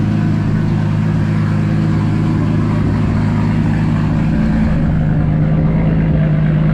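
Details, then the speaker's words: Toyota Supra after fuel system upgrade (triple pump hanger, relays), fuel pressure near 40 psi: even steady idle with smooth low rumble, no misses or ticking; normal idle. "so all right guys had the car idling so far so good no"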